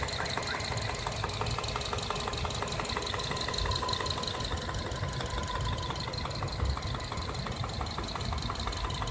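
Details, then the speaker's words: 2011 Subaru Forester SH FB25 engine under 100,000 km, knock from cylinders 2 and 4 side; sharp evenly spaced light knocks tap over steady idle; connecting rod knock. "Слышишь? Тук-тук-тук-тук. Даже как будто пластмассу стучат друг от друга. Вот что-то разболтало."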